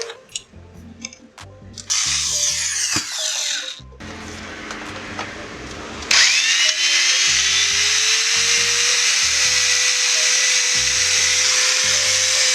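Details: JCB angle grinder after bearing and switch replacement, test run: the motor spins up with a rising whine that levels into a clean, steady high pitch with no grinding or rattle. Normal running.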